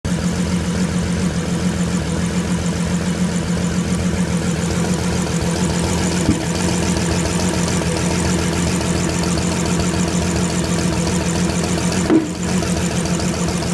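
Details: Bentley Flying Spur 6.0L twin-turbo W12 at idle: an uneven, stumbling misfire attributed to poor, worn spark plugs. Cause suspected, not confirmed.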